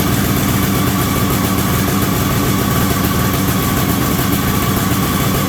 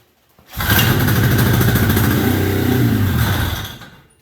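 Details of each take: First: 1973 Columbia snowmobile two-stroke, indoors, after reconnecting the crankcase pulse line to the rebuilt diaphragm carburetor. First run in about 15 years, holding a constant, even idle with a steady buzzy note and no stumbles: normal idle. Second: 1973 Columbia snowmobile two-stroke, carb cleaned and rebuilt, tank cleaned, new fuel lines, temporary tank: catches and buzzes about three seconds then fades and dies; can't keep drawing fuel, crankcase-to-carb pulse line was left off.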